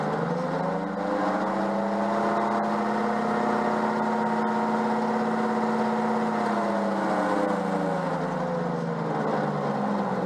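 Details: Peugeot 104 GLS after a brake change: steady droning whine over the running engine, pitch rising and easing, occurring only with the right wheel, not the left; wheel doesn't bind, no jerks; suspected transmission noise, source unknown.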